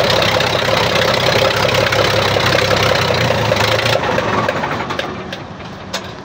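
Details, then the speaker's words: Weichai diesel engine after the injection pump and injectors were replaced for backfire, smoke and a glowing exhaust. Steady, even clatter at a firm idle with no misfire or popping; smoke and backfire are gone and power is restored. "Okay na siya mga tools. Power na. Wala ng usok, wala ng backfire."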